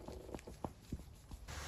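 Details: 2021 VW ID.4 Crozz Pro electric SUV at 17,000 km: sharp dry clicks, about four in under two seconds, from the worn old sway bar link ball joint being rocked by hand after removal.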